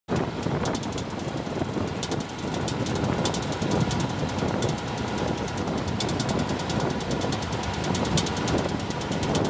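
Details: 1996 Chevy K1500 pickup: rapid, uneven clicking about three or four times a second over road and wind noise while driving; U-joints are solid with no slop or wear.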